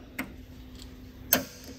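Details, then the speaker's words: 1976 Ford Bronco Sport parked for 30 years, starter solenoid tested by jumping power to the signal terminal after starter and solenoid repair. Two crisp single clicks about a second apart over a faint hum, with 12 V output confirming the solenoid works. "So you can see I have 12 volts being output over here now, so we know the solenoid is working correctly."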